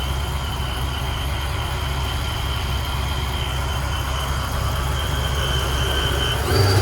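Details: 1994 Impala SS with blower, after replacing the Racetroix fuel pump relay to fix an intermittent fuel pump fault: strong, steady engine note with a faint high whine, no stumbles, picking up cleanly at the end.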